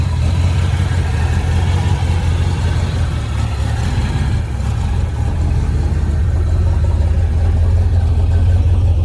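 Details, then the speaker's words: Bone-stock 1971 Dodge Charger 383 Magnum 500 with original, somewhat worn cam, just started: deep, even V8 rumble at steady idle, no knocks, ticks or misses; normal idle, great oil pressure. "And hit the key. Butter. Smooth. Check it out."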